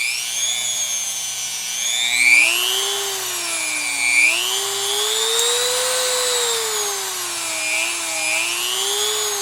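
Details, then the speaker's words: No-load run of a roughly $30 replacement rotary tool, bought because the old Dremel barely worked, run down to its slowest speed and varied. A smooth high-pitched whine climbs and dips evenly with no rattles. Healthy, normal running. "okay I can get jiggy with that [Music] foreign makes cool sounds I like that"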